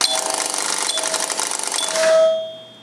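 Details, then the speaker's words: Electromechanical pinball playfield slingshot: rapid, steady clatter of the coil snapping about ten times a second, then stopping. Misaligned switches or a wrong rubber ring can cause the stuck switch and nonstop solenoid firing, which can burn out the solenoid, so shut the machine off. "it can create a stuck situation where the slingshot will repeatedly fire the problem with this is it'll burn out the solenoid pretty quickly"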